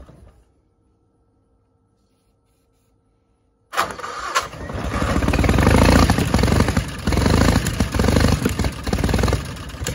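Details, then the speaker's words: 1960 Onan industrial engine for a homemade Model T replica truck, first start in many years: after dry plugs, brake clean sprayed in; it catches and runs ragged and uneven briefly, settlement bowl full but carburetor fuel delivery doubtful, owner may pull carburetor. "it's going to run it did run just not sure we're getting fuel just yet"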